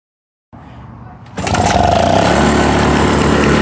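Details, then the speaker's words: 1996 Toro 22040 commercial mower with two-stroke engine, governor adjusted to about 3,100–3,200 rpm, started on low speed: steady rapid knock about four beats a second over exhaust soon after starting; so-called Suzuki knock, cause not yet diagnosed. "right up but you can still hear the knocking and it's not even been running for very long"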